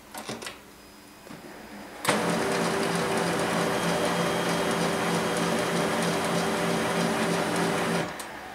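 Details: HP LaserJet P2055 power-on after reassembly: clicks, then a sudden steady whirring hum of even tone for about six seconds that stops cleanly; normal printer warm-up.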